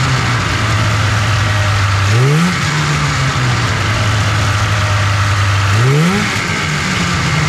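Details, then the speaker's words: 1997 Polaris Indy 500 snowmobile two-stroke, first runs after sitting for years: steady buzzy idle sitting noticeably high, two quick throttle blips settling back fast; idling too fast, idle needs adjusting. "it's seemed like it's uh idling too fast I'll have to adjust the idle on it a little bit"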